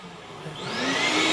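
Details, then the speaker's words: Craftsman 12-gallon 2.25 hp wet/dry vac running on an off-grid solar battery bank (25.5 V, 11 A incoming): smooth whine climbs as the motor spins up and settles to an even, strong run; healthy. "um I'm gonna show you where the batteries are doing right now piece of cake you can hear the motor running backward right back there"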